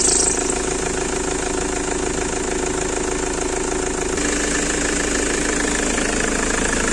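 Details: Ford Transit 2.4 diesel idling: steady thin high-pitched squeal from the accessory belt drive, despite belt and pulleys only two months old.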